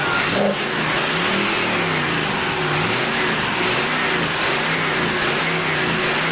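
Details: Rebuilt C2/C3 Corvette chassis V8, cooled by hose water pumped through intake manifold and water pump: catches and holds steady even roar, smooth rev rises and falls; no knocks or misses, healthy.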